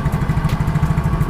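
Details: Yamaha Mio Soul GT injection scooter after replacing a burnt starter dynamo that made a tek-tek sound: steady, even low putter at idle with no clicking or knocking. Normal idle.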